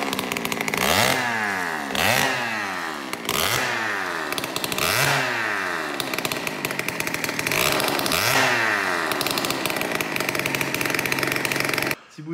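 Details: Peugeot 103 moped with 70cc full Malossi kit, first start: two-stroke blips up and falls back about once a second, never settling into clean revs; running poorly, owner suspects ignition timing is off.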